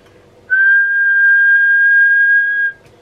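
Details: Ready Rescue CB radio after repair for no modulation: clean, steady whistle tone held evenly for about two seconds with no crackle or dropout. Transmit audio working properly.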